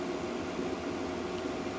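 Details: Diesel heater after repair (previously would not start and blew white smoke; old filter cleaned and refitted because the kit replacement didn't fit): smooth, even fan hum and burner roar with no ticking or surging. It is running properly.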